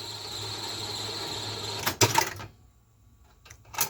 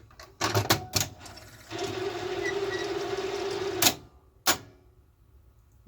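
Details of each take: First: Zenith Video Director VR-8500PT, a basic Beta VCR (Beta III recording): a smooth two-second mechanical whirr, a couple of firm clunks as the cassette lifts, then light clicks; a normal, healthy tape unload and eject. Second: Zenith Video Director VR-8500PT Beta VCR loading a tape: a couple of clunks, about two seconds of steady whirring with a faint tone, then a final clack. Noisy tape loading mechanism; owner suspects a bearing needs oiling.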